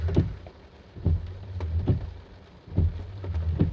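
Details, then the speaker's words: Honda Accord windshield wiper in rain after fixing a worn, dried-out squeaking blade: a soft, even thump at each sweep end, about one pass a second, with no squeak or chatter. Noise gone, wiping judged about 80–90% effective. "now you can see it's no more noise it's perfect the rain is coming down now so I can test it out as well"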